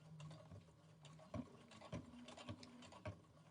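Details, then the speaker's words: Brother Innovis A150 sewing slowly through five layers of denim with a 116 jeans needle at stitch length 4: dull thump about every half second as the needle pushes through, normal operation. "Okay, you can start hearing the thumping coming back a little bit. You hear that as the needle's just pushing through the denim, but it seems fine."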